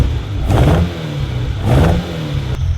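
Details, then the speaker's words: InfluEnzo engine after rebuild, warm after a short drive, coil banks disconnected in turn: two throttle blips with lumpy, uneven running that never settles; misfire on some cylinders despite fuel and spark at all carbs. "So you can hear it's definitely not running as well as when I first started it up before I took it on the run."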